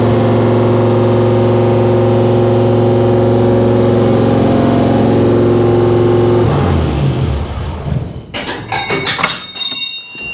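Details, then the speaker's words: 1955 Chevy Nomad small-block V8 with tunnel ram and dual Holley Sniper EFI, on first start. It climbs straight to a steady high idle near 2700 rpm, then is cut; the tuner may need redoing. "well shot to 2700 RPM for some reason there that's a that's a new one"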